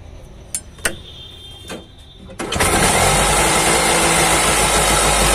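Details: Auto rickshaw two-stroke with a racing problem, after the carburettor piston was cleaned and refitted: a few light clicks, then it fires and settles into a steady, even idle with no racing; normal idle.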